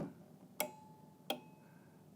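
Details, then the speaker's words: Marley LLC water level control panel, relay card test: wire jumpered from reference probe 13 to probe 18; three sharp clean clicks about a second apart as the relay in the yellow case pulls in and releases, green light on, card working normally. "You can hear it. You can also see this little green light come on, indicating that the card's functioning. So you have 2 visuals and 1 audible."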